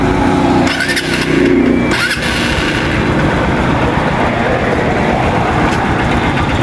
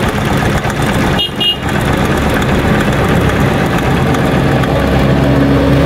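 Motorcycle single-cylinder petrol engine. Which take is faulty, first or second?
second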